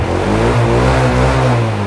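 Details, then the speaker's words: Used motorcycle, late-2015 model, original engine per the seller, sounds smooth, even and clean through a light rev with no knocks or rattles; seller says the engine is okay, normal healthy running. "Máy thì em ok rồi đó."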